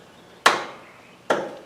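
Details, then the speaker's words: Cub Cadet ZT2 zero-turn mower with Kawasaki engine, key turned by a helper: two sharp clicks from the starter solenoid with no cranking and no voltage reaching the starter. "I can hear the starter clicking, but it's not. I mean, the starter solenoid clicking, but it's not. It's not working."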